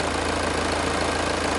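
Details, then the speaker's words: Diesel idling with a pressure-pulse sensor in the crankcase, injector 1 as reference: even, regular idle pulses with no chuffing or surges. There is no excessive blow-by past the rings. "we see the nice even pulses within the crankcase which goes to prove that there's no excessive blow passed by rings"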